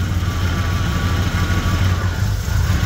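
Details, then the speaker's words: Jeep after new spark plugs and injectors: steady low idle with even firing pulse and no missing beat; unplugging a plug wire or injector gives an audible dead cylinder, reconnecting smooths it. Normal idle. "Plug it back in, it starts to smooth back out. Same if you pop an injector, pop a spark plug wire off."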